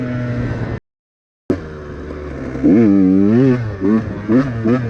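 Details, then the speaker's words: 2017 KTM 150 XCW two-stroke with Lectron Billetron carburetor, after carb tuning fixed flooding and bogging: crisp revs rise and fall cleanly with throttle blips, no bog even snapping throttle at low rpm; runs healthy. "No bog. Seems to run really solid now. I could maybe go another quarter turn richer on the meterrain rod, but it seems to run really good right now. No bog, even low RPM whacking the throttle open."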